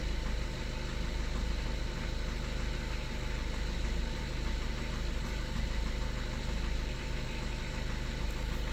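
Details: 2013 Skoda Octavia A7 1.6 TDI, 188,000 km, cold start at 21°C: diesel idle with a steady rapid knock, about three per second, over the clatter; knock disappears once the engine warms up, cause not yet found.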